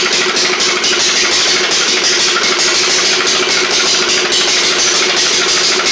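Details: 1991 Eagle Star (Noma) rider, old 11 hp engine swapped in to replace a knocking 12 hp Briggs, after flushing out flooding: steady single-cylinder beat with quick, even exhaust pulse, no knock or miss; running normally.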